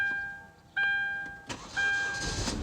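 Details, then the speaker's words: Hyundai Sonata towed in as crank no-start, found empty tank from faulty fuel level sensor, now refueled: brief crank, fires straight up into steady idle, no misfire; normal start. "it starts right up it's amazing it got towed in there's no gasoline in it"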